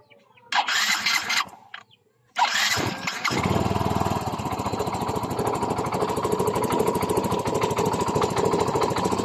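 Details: Yamaha Mio i 125 scooter after an engine teardown for a loud piston slap/knock, with the block set replaced: a brief start, then a steady, even putter with no knocking over the exhaust beat. Normal idle after repair.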